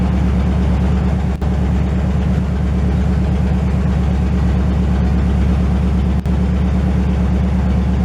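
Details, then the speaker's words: 1968 GMC truck V8, first start in 20 years: a deep, loud, steady rumble at idle with no knocks or misses. It runs well, with only minor leaks. "Here comes the sound. Sounds good."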